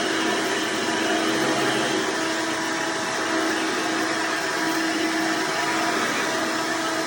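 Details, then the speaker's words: Hoover Elite vacuum owned since May 2024, bearings greased, after replacing the 7-blade fan impeller with a 20-blade upgrade: steady even motor roar with high airy rush, no rattles or pulsing; noise reduced but still somewhat loud; normal running. "well here folks it looks like it's reduced most of the noise level for the most part still kind of seems somewhat just a little bit loud"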